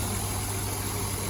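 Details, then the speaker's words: BMW E34 M50 petrol straight-six, long-sat donor engine for an E30 swap, idling now on all six cylinders: smooth, even low hum with no miss; the misfire was a stuck injector. "there we go she's on all six finally in the for the first time and i don't know how many years turns out at the end of the day it was just the injector stuck"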